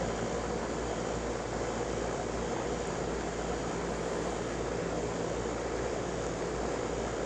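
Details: HVAC condenser on R-410A during maintenance: smooth, constant fan rush with a steady low hum, no rattles or squeals; running normally.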